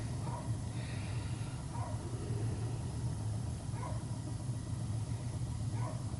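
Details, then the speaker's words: Well pump on a call about pipes shaking at midnight, running normally: a low, steady hum with faint swishes about every two seconds and no knocking. It kicks in at 20 and shuts off at 50 psi. The noise is suspected to come from the house, maybe a toilet or the water softener backflush. "It kicked in at 20. At 50 there. This ain't making the noise. Something in the house that's doing it."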